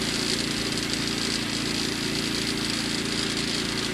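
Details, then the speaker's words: Predator 2000 generator powering an RV gaming setup off grid: steady even low drone with smooth hum, no surging or knocking; running cleanly under load. "So obviously I start out by getting the generator going. You can hear that cranking away in the background there."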